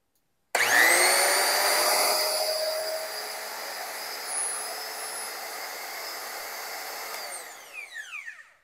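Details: Used DeWalt die grinder after a cord repair, new bearings and a polished shaft, run on test: spins up fast to a steady high whine with no grinding or rattle, then winds down smoothly; normal run, bearings sound healthy.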